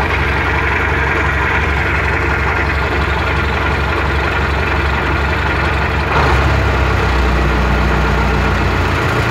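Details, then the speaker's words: MTZ-80 tractor diesel at warm idle: uneven low thudding knock over the clatter that fades when revs come up, from the intermediate support, absent while oil is cold; its ball bearings were replaced, PTO shaft roller bearings not. "Зараз покажу, як стукає проміжна опора, а тоді попробуємо ще раз завести."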